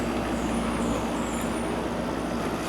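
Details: Early-1980s Emerson Quiet Kool 7400 BTU window air conditioner with fan up and head pressure levelled, drawing about 750 W and blowing cold: constant even air rush over a low steady hum, no rattles or surges; normal running.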